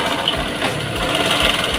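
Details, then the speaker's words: Honda Megapro New mono-shock single-cylinder motorcycle at idle, rough clattery rattle from the top of the engine; rattling suggests rocker arm/camshaft rather than valves, cause suspected, not confirmed. "berasal dari atas. Jadi, ada kemungkinan itu mengarah ke lengan ayun , poros bubungan, atau katup."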